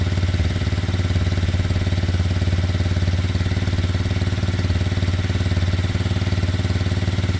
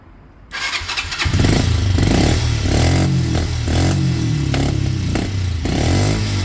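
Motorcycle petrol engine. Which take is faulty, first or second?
second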